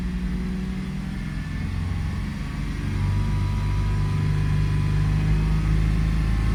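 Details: 2002 Toyota 4Runner with a start-stall complaint, running in closed loop at 161°F coolant temperature: even, smooth idle that rises gently and settles steady with no stumble or miss.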